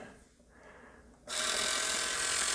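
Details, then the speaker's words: Tire Razor slot-car tire truing machine with broken-in motor running on a regulator: loud steady high-pitched rough whirr from dry bearings, which gets much quieter once the bearings are oiled. "And let me get some oil on my bearings here. See how much quieter everything gets when you hit a little bit of oil?"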